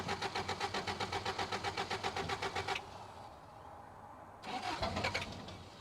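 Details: 1985 Toyota pickup rock crawler that had sat a long time, cold start on a can of fuel: starter cranks about four per second for nearly three seconds without catching, a pause, then another crank; later fires, running rough.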